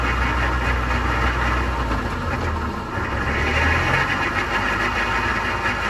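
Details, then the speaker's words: 1990 Mazda Miata NA6 1.6L, rear jacked up and driven through the gears with wheels off the ground, listening from behind. Steady droning hum that shifts with gear; the differential was at fault, and replacing it solved the noise. "And what we're gonna do now is we're gonna actually have it driven while it's in the air, and then we can hear the noise coming from the diff."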